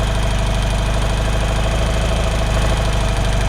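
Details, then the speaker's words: 1975 BMW R75/6 Bing carb, left side, adjusting idle control screw clockwise while running: low boxer idle rises then starts to falter; screw gone too far, backed to fastest-running point. "and now we start at the water so we come back up and we're starting to falter again so we go back and find the point at which the engine's going fastest which is just there"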